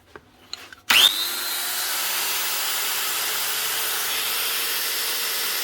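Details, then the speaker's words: Old Makita N910 115mm grinder (roughly 1990s–2000s), after cleaning out dirt that blocked the slide switch and fitting two new bearings: the switch clicks, then a steady, smooth high-pitched whir with no rattle; much smoother and the switch now works. "Nice one, a lot smoother, and the switch actually works."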